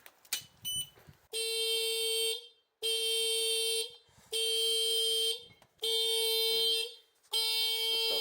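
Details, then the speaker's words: 2007 Piaggio MP3 scooter that ran when dropped off but now won't start: a loud, shrill electronic tone sounds in bursts of about a second, repeating steadily; alarm going off, suspected linked to the tilt lock, not confirmed. "on it or something to press that is it an alarm or I think it is an alarm yeah is it something to do with the handbrake or something it's I think it's something to do with the tilt lock"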